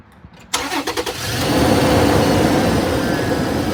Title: 2011 Toyota Tacoma weird whirring noise coming from the front of the engine by the belts